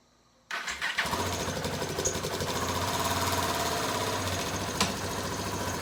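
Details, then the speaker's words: 2016 Husqvarna 701 Supermoto single, stock exhaust, kept on a battery tender: catches right away and settles to a steady, even thumping idle with no odd knocks or rattles; healthy start. "It's still on the stock exhaust, so it doesn't sound real mean, but that bike is terrifying."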